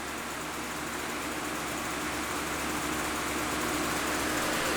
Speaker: now you can hear the microphone's right here on my chest so you could hear just how quiet this machine is